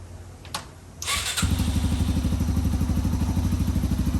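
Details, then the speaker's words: 2005 Yamaha TTR230 single after fuel-air mixture screw adjustment, muffler fitted: fires after a short crank and settles into a steady, even thump with no ticking; runs well, though the clutch is not working. "runs good though that's nice no more ticking anymore either"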